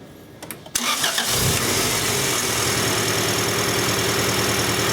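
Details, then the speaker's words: 1994 Acura Integra 1.8 L DOHC, restarted after adjusting the cold fast idle valve to cure a warm idle surge. Brief crank, catches, then settles into a steady, even idle with no surging; sounds a lot better: normal idle. "That sounds a lot better."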